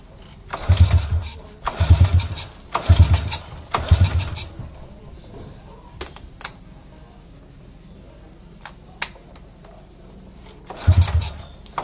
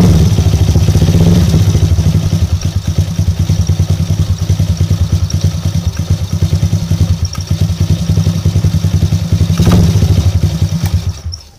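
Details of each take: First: Motorcycle that is hard to start and sputters when it runs: rough bursts about once a second die away with quiet gaps between attempts and the engine won't catch; weak spark at the spark plug; hard starting. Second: Motorcycle single-cylinder that was hard to start and sputtering after top-end service for a leak, after fitting new spark plug: steady quick idle, even thump, no stumbling, shuts off cleanly; old plug was the cause, fixed.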